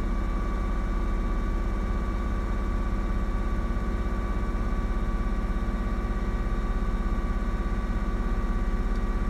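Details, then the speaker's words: 2004 Ford Mustang 3.8L V6 automatic, uneven idle with regular low pop about twice a second over engine drone, car shaking with each pop, worsening after a minute or two running; fuel pressure read over 60 psi; misfire from faulty new SMP T-Series coil pack, fixed by replacement. "popping noise. Can't seem to figure it out. Now it's starting to do it a lot more. And every time it pops, the car shakes."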